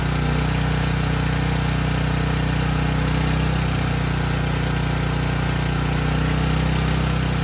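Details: Briggs & Stratton Storm Responder generator (model 030430-00, engine 21T212-0116-G1), previously stuck at TDC with fuel-flooded oil, final test after repair: smooth even hum at constant speed without hunting; speed raised to 61.5 Hz, loaded to 3000 W and holding 60 Hz.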